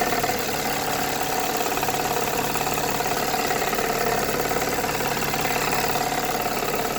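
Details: Toyota 3.3 V6 at warm idle: steady tapping knock about three to four per second from the intake manifold side, appearing once warmed up; owner unsure whether rod knock or intake manifold leak.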